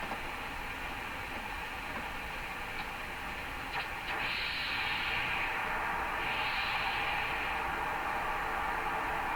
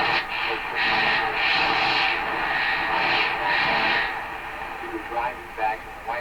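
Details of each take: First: Hammarlund SP-600 shortwave receiver on a makeshift garage-floor wire antenna, tuned down from 25 MHz through 17 MHz: only a flat, steady hiss with no signal, reception weakening toward the higher bands; cause is a disconnected capacitor lead. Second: Hammarlund SP-600 receiver after reconnecting a loose lead, on a garage-floor wire antenna: strong, steady station audio over even hiss, no crackle, fading or dropouts; reading 60 dB above one microvolt, receiving properly again.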